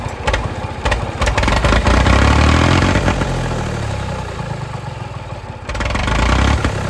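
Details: Late-1960s/early-1970s Massey Ferguson 2200 forklift, Perkins 3-cylinder gas engine, sat 23 years: catches with a clatter, revs swell and hold high, easing only briefly. It runs away; the throttle linkage is gone, the governor doesn't work, and the throttle control isn't really doing anything.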